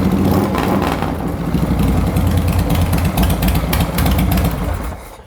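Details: Twin motorcycle after installing a new Twin Power voltage regulator: deep lopey twin-cylinder thump briefly picking up then settling; normal idle, charging reaches 14.4 V, regulator was the fault, not the stator.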